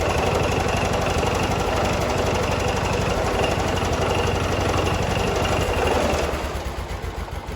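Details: 1979 John Deere 214 tractor, restarted after reassembly following months of sitting: single-cylinder thumps at a quick steady beat with no misses, then winds down; runs fine.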